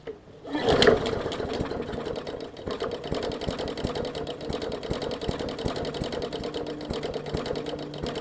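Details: 2014 Bolens push mower, Briggs OHV engine, leaky carb needle and seat, fuel line clamped: after pull start runs with rough uneven ticking sputter; flooded and rich, purging excess fuel.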